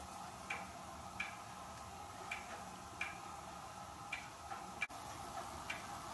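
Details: Hermle weight-driven clock movement on a homemade test stand, levelled with the pendulum fitted: crisp, evenly spaced alternating ticks and tocks in a quiet room; in beat and running normally.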